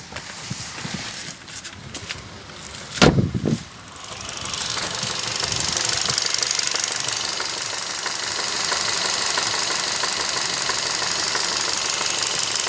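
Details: 2012 Kia Rio 1.4 engine at hot idle: a rapid, fairly even metallic tapping over a hissy background, not heard under load. The owner suspects a connecting rod knock.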